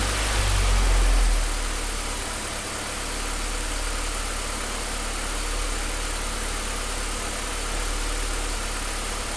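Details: Uneven idle beat at about four pulses a second with a shaky low rumble; rough idle, cause unclear.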